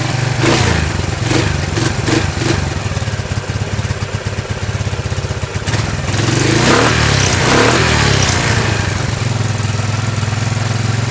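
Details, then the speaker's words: 1999 Kawasaki Prairie 300 single-cylinder ATV, cold, after carburetor cleaning, fogging oil smoke: uneven revving that stumbles at quarter throttle then clears; owner suspects uncleaned mixture screw port, not confirmed. "so there you have it guys the prairie runs pretty darn good it's got a little stutter it's uh instant yeah it runs real good uh once you get past that quarter throttle stutter i don't know what that's about"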